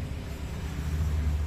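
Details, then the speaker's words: Electric fan motor after new bearings were pressed in with a press jig, running at speed 3: a steady low, smooth hum with no rattle or grind. Normal, quiet operation. "tuh sangat halus banget ini Speed 3 ya jadi dia nggak ada suara bising sama sekali"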